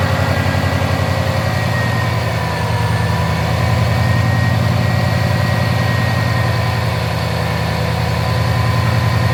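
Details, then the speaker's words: Subaru WRX just after oil change with BG EPR engine flush and MOA oil additive: even low idle rumble with no ticking; sounds smoother, normal idle. "There's no ticking. Sorry. [Music] [Applause] Now we'll check. But it already sounds better, doesn't it?"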